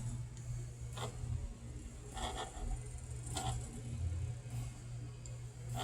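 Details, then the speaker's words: Beautyhealth BC-07D massage chair with faulty program modes: knocking function tested, soft tapping bursts about once a second over a low motor hum, knocking works normally though rolling and flopping do not. "How about knocking? It looks like knocking is working."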